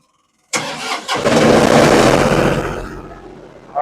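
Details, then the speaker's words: Yanmar 15 kW diesel generator, just under 800 hours, previously suspected of overheating and blowby. A quick crank, then it settles into a steady, even run with no knocks or misses: normal start and idle. "Okay, so we got it fired up. I'm going to let it run for about a half hour."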